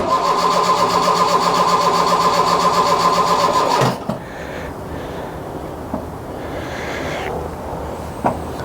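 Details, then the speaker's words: Mk1 Ford Fiesta Ghia 1.1 barn find: about four seconds of steady, even cranking without firing. Long crank no-start; the choke wasn't sealing properly, so the air-fuel mixture was wrong. "all it was was the Coke wasn't sealing properly so the air fuel mixture wasn't the right ratio to get it fired up"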